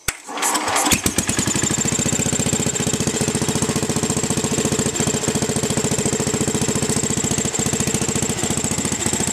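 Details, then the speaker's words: 1967/68 Sears Suburban garden tractor, running on a makeshift vaporizer carb with no gas tank and a ball-valve mixture adjustment, at half throttle: fast single-cylinder chugging with a slightly uneven beat. The mixture isn't right, so it loses power uphill. "we're moving pretty quickly too the mixture's not totally right so we lose power going uphill"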